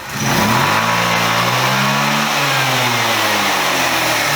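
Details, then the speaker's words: Chinese GY6 125cc scooter after rebuild, carburetor main jet changed to a 98: clean even revs climbing smoothly, no stumble or misfire; much better top-end performance, road test still needed. "I switched the unknown standard jet out and took a punt on a 98, which is about what the CB runs on, and we now have much better top end performance, but it does require a road test."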